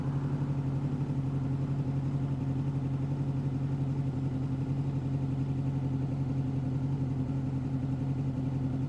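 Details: 2005 Honda VFR800 VTEC V-four, warm, idle previously about 1500 rpm, adjusted to the manual spec of 1200 rpm; settling to 1200 rpm, steady even beat, no hunting or misfire; normal warm idle.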